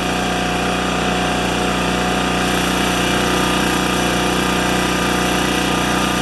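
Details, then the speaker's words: Makita G2400R generator after fitting a non-OEM replacement carburetor, unloaded; constant buzzing drone holding one speed without surging or stumbling, same RPM as before; owner hopes the carb won't leak; normal running. "so it runs as good as it did before exactly the same uh RPMs and everything"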